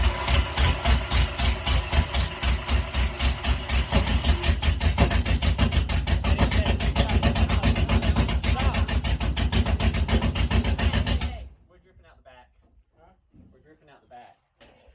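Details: Dirt late model race car after its starter was reinstalled and the flywheel (teeth half gone) replaced. Even cranking of about three to four pulses a second for roughly eleven seconds, with no gear grinding: the starter now engages cleanly.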